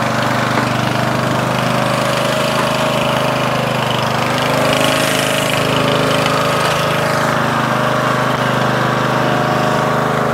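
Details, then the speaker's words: Murray 14.5hp 42-inch lawn tractor, Briggs & Stratton single-cylinder OHV, after fixing a bad ground at the ignition switch. Steady even chug at constant speed, no stumbling or knocking; normal running. "finally after three four episodes we finally got this Murray 14.5 horsepower Briggs & Stratton single cylinder overhead valve 42 inch wide cut running working just as it should"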